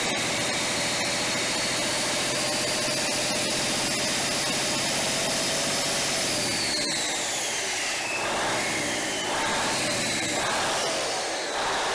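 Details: Cummins 855 Big Cam IV NTC 350 diesel, cold first start after an in-frame overhaul: loud, steady, even run with a high rushing note, no knocks or misses; fuel slow to reach the injectors, then runs normally.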